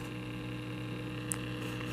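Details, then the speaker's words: 1936 Zenith 6B129 shortwave radio powered up: a steady low hum with faint static and no stations received, and the indicator light bulb does not glow. The owner suspects the power-supply vibrator or earlier home modifications. "if we turn the radio on i'm getting stuff on the speaker some slight hums and whatnot sounds like the vibrator"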